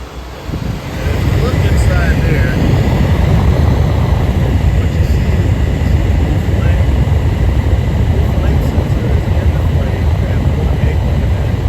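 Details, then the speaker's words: Furnace on a service call, restarted after checking the flame sensor: ignition clicks, then it lights and runs with a steady low burner and blower roar, no puffing; normal operation. "Listen for the clicks. Don't want to get too close to it. That's what's clicking. All right, it is lit."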